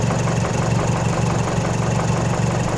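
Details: Mazdaspeed 3 at idle with a fast light rattle, about three beats a second, riding over the idle without letting up; owner suspects timing chain noise. Cause not confirmed.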